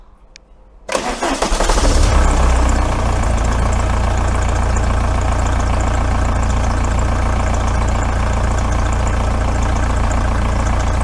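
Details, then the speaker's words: Volkswagen T3/T25 TDI camper, start after fitting a new exhaust, microphone left low: quick crank, clean catch, flare, then an even deep diesel idle with no blowing or rattles. Normal start and idle. "all right that's all sounded pretty good there"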